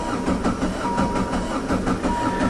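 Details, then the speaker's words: Diesel caravan with a corroded, leaking injection pump that bleeds fuel back to the tank after sitting; cold-start lever down, glow plugs heated 10–15 s: steady starter cranking about five compression beats a second without firing; air in the injection pump. "It's just sucking that fuel that's ran away."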